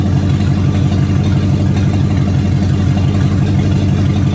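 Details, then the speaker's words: Abe's first run since 2019 after a new fuel pump, new starter and cleaned tank with about 2 gallons of gas, fuel pressure primed; deep, even rumble with no knocks or misses, engine running cleanly. Brakes still need work. "Well, there you have it. First time and since 2019 that anyone knows of that that car ran or alone moved on its own power."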